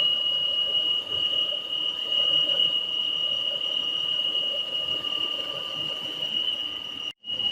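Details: Peugeot 408 engine: a constant high-pitched squeal over a quiet idle that sounds like a dry pulley bearing and was hard to find; it actually comes from the PCV valve on the valve cover.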